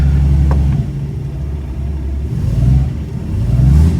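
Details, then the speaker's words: 1962 Ford Falcon after priming electric fuel pump and clearing suspected air pocket, choke half on: engine catches at once into deep even low rumble with gentle rises; normal start and idle. "I had the choke halfway on. She fired up good."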